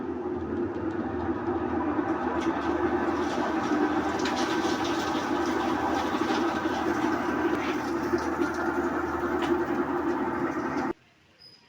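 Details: Used automatic washing machine (second-hand purchase check) in spin cycle, heard up close after E2 error: steady rumbling spin with rapid rough clatter about four times a second; wash mechanism silent, fault in worn spin section of gearbox.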